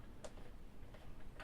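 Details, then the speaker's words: Thermomix TM5/TM6 lid-lock actuator turned by hand via the service hole with a square S0 screwdriver: a few light, crisp ticks, no grinding or skipping; healthy actuator, normal lid-lock operation. "Ten siłownik jest dobry. On dobrze chodzi."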